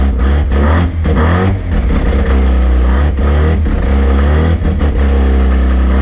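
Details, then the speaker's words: Rotary-engined van on first start after rebuild, starting off the key: smooth buzzing rotary climbing and falling cleanly through blips with no misses or knocks, though a belt was melting. "she's alive she's alive she's alive she's alive we're winning there to start off the key even you beauty bloody little beauty"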